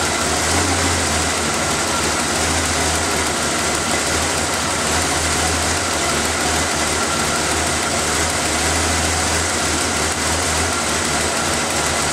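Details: After refitting the intake's vacuum lines, air filter and cover, the engine is started to listen for hissing leaks: even, steady idle with a smooth low hum and no hiss, ticking or misses. No air leaks.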